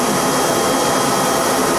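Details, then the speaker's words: 4.6 hp regenerative blower with input blocked for load, run at 490 volts through a homemade transformer, about 5.6 A balanced running amps: smooth steady rushing whoosh, even airflow hiss, no knocks; normal. "you've got the 4.6 horsepower regenitive blower the input's blocked off to give it a little bit of a load"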